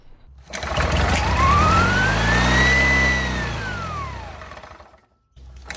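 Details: 1967 Army generator, 2-cylinder 3 hp, after cleaning the points (earlier ran on only one cylinder): small twin sweeps up and settles smoothly, no misses or stumbles; normal running on both cylinders.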